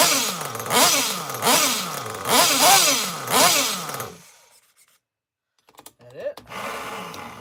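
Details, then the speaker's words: RC nitro engine (live bench session) idling with sharp blips about once a second, each sagging in pitch with a sputtery, blubbery note before cutting out; running rich, tune still needed, owner estimates needle about half a turn out. "Yeah, she's rich, man. I still need to work on the tune, but it's a good start."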